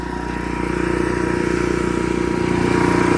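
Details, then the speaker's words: Cummins Onan generator after relocating the fuel pump outside the unit to fix stalling/surging, running a little over two hours under load in Florida heat: steady, even drone at constant speed, no hunting, surging or stumbling. "It's been running for a little over two hours now and we're still running"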